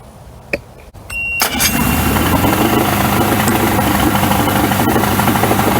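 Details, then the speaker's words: 1994 Suzuki 115 two-stroke outboard, cover off, restarted after a 15-minute hot soak during a cheap DIY fix for stalling: catches after a few starting sounds and settles into a steady, even idle. It would not idle at all earlier; clear progress. "i can notice a difference in the idle because it would not idle at all earlier so uh i think we are definitely making progress"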